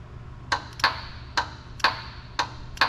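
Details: CRT 48RE transmission with trans brake valve body on a dyno, power applied to the solenoid: sharp, crisp clicks about twice a second, fan running behind; trans brake solenoid snapping in and out properly.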